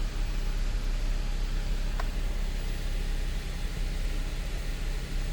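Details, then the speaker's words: 2013 Audi Q7 3.0T supercharged, first start after fuel-system work for misfire and oil-coolant mixing: deep, even idle hum with steady rhythm, no stumble; some vibration but not misfire-like, possibly engine mounts. No warnings or errors; normal idle. "no warnings no errors iding down I think this thing might need some engine Ms there's some vibration but it's not like a misfire type of vibration"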